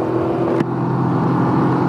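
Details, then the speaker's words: Can-Am Ryker: a steady low idle hum with one brief hiccup in the beat; an occasional stutter at idle only, not under power, cause unknown. "I don't know if that's coming through on the camera audio or not, but at idle this thing stutters a bit, and I don't know what that is. It doesn't do it all the time, but every now and then it'll stutter"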